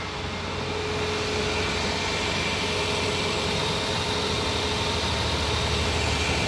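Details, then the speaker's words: 2014 Ford Fiesta Zetec Rocam 1.0 Flex, cold first start at 16 °C, fault traced to a leaking coolant temperature sensor: idle steady and even with a faint hiss. Previously it ran rough and lit the injection light; now it runs normally. "Era nesse momento aqui, eu tocava arranque, ele não ficava em marcha lenta. Ele ficava todo quadrado, acendia a luz de injeção, às vezes apagava. Mas tá aí, ó, funcionando."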